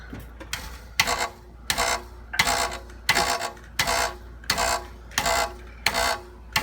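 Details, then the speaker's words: Car underside: tinny metallic buzzing rattle about every 0.7 s, heat shield on the catalytic converter seen vibrating though its bolt is tight; loose heat shield rattle, cat may need removal to inspect or a spacer. "can see it vibrating on the bottom okay where's the heat shield it it's loose up"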